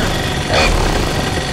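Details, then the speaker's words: Two-stroke paramotor trike engine that seized mid-flight, field repaired by sanding the scorched piston, still with cracked airbox and exhaust, heavily primed, started first pull; steady, even idle with no misfires, knocks or hunting, runs great. "Ah, it sounds great. So cracked airbox, cracked exhaust, and a scorched up piston. Still runs great. Starts on the first pull."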